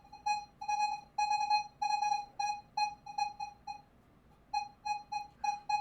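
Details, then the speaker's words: Minelab Manticore indoors at sensitivity 10, recovery speed raised to 8: warbling mid-pitched tone repeating about twice a second with sweeps, but half dollar only signals at about 2 inches. High recovery speed sharply cuts detection depth. "Now, keep in mind the sensitivity is at 10 because we're indoors, so you would have to do this test outdoors with full sensitivity to see the difference, but it's a remarkable difference in depth, okay?"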